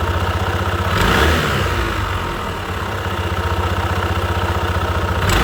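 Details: Honda PCX 160 CVT after new drive belt, weights and slider pieces at 33,000 km: even pulsing engine that revs up smoothly, belt drive without slap or rattle, and noticeably less noise than before the replacement.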